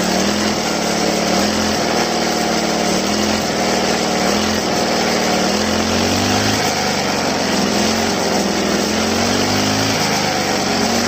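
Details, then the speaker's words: Two-stroke grass trimmer run dry, refilled, on a cold day: repeatedly blipped, its pitch climbs and sags unevenly. Air still in the fuel line causes poor acceleration, and the fix is repeated throttle-and-release to purge the air. "ครับโอเคนะครับเราเร่งไปเรื่อยๆนะครับเร่งปล่อยเรปล่อยเร่งปล่อยนะครับเพื่อที่จะให้ให้น้ำมันมันไปไล่อากาศออกให้มันสกูดได้ปกตินะครับ"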